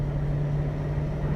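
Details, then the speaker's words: 2001 Toyota Tundra on a street test drive after serpentine belt and idler pulley replacement: a smooth, steady low hum with none of the old idler-pulley clacking that rose with speed; it sounds like a regular working engine. "it sounds like an actual like regular working color"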